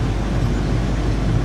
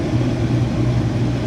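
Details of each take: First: Used corn head of unknown history, fired up after checking row gearbox oil and adjusting the chains; steady even low rumble, no knocks, rattles or chain slap; normal running. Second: Bean head on a combine run wide open after prep, with the reverser working; steady low drone with coarse rumble, much shake and vibration that smooths out once on the ground; header shake and vibration.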